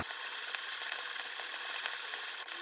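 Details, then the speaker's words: 1950s Armin Trösser Mokka hand coffee grinder, burrs set just touching, grinding in just under 50 handle turns: light even crunching and ratcheting, no catching or scraping; smooth normal grinding giving fine consistent grind. "I just want to hear it purring nicely, but not labouring. That'll just about do."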